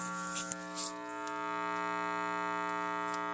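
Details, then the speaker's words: Tube amplifier being restored, warmed up after modifications: after clicks, a steady low buzzing hum with stacked overtones; the added modifications worked but an unwanted mains hum developed. "And now you will hopefully begin to hear the noise I heard, which is not at all supposed to be what's there. So the additions worked, but then this nice, lovely hum developed."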